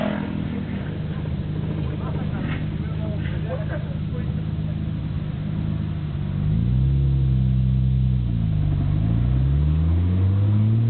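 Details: Nissan Skyline GT-R BNR34, stock Getrag manual gearbox with Nismo clutch, recorded windows open: loose, uneven rattle through the engine drone, continuing as revs rise. It is abnormally loud, also in 1st and 6th while driving. Unchanged after oil change; cause unknown, overhaul considered.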